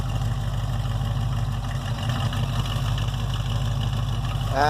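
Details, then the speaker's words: 1968 Chevelle 307 small-block V8 after power upgrades of over 100 hp in parts and tuning. A deep, steady idle with an even low rumble and no knocks or misses; healthy. "That sounds pretty good."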